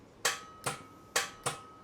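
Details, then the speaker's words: 2006 VZ Commodore V6, towed in with no-start: repeated sharp clicks without cranking, the solenoid contact bar pulling in across the two points. "That clicking that you're hearing is a bar that goes across the solenoid like that and shorts those 2 points out."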